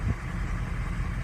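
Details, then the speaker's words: Diesel truck with an 03 engine at idle: low, uneven idle with a slight lope. Number two injector is failing and throwing a code, number six is suspect, numbers four and eight look okay, and numbers one and seven have been getting worked. Rough idle from failing injectors. "number four and number eight look good they look okay but we got got number two with it throwing the code and everything"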